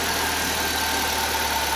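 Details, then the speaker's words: 1.3L four-cylinder from a 1999 Suzuki Swift (113,000 miles) for a hovercraft, makeshift exhaust, belt drive not engaged, just started: even, steady idle hum with no ticking, knocking or stumbles; quiet, smooth and healthy. "so it uh starts up and runs really nicely it's very quiet even though I've got kind of a Dr rig exhaust on there right now it's also very smooth"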